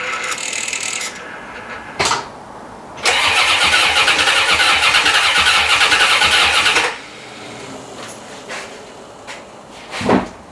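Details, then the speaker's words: 1990 C4 Corvette being rebuilt after a blown head gasket and five years in pieces: short bursts of free cranking with no firing. Owner suspects no fuel delivery, as it was parked low on gas. "i don't think it's getting any fuel to be honest with you i think that's our whole problem no fuel"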